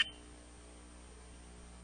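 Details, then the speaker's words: Hard drive (talk covers Seagate, Western Digital, IBM Travelstar/Hitachi and laptop drives): short burst then low steady buzz with no spin-up whir; head stuck to the platter (stiction), fix is breaking the head free. "there is another one that happens a lot too and it's this one hear that so that's a head stuck to the platter"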